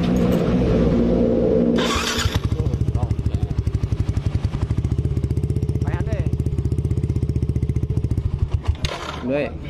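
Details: Yamaha NMAX after starter motor carbon brush check/replacement, previously clicking on start: short, even crank, then engine catches and settles into a steady, regular idle with no clicking or roughness; starter healthy.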